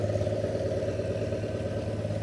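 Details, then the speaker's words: Holden 173 cubic inch (2.8 L) red inline six from a Bedford CF van, on a stand after years unused: slightly uneven, wavering idle beat, stumbling; owner thinks it may be running out of fuel. "sounds like she might be running out of fuel"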